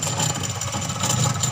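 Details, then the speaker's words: Sharp twin-tub washing machine, wash side not working: spin (dryer) side runs but thin steady high squeal "krik krik" over the motor hum, noisy spin motor heard with rear cover open. "suara di mesin yang keras krik krik krik krik krik"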